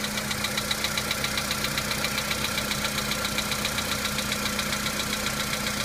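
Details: VW Polo Sedan engine at cold-start idle: sharp, very regular metallic ticking about two to three per second; knock fades as the engine warms up, cause not identified.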